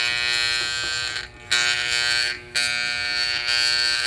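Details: Vintage Hamilton Beach electric hand mixer, opened and cleaned but stiff: harsh, steady high-pitched motor buzz that briefly drops out twice, beaters not turning; owner wonders if gears are misaligned, cause unknown.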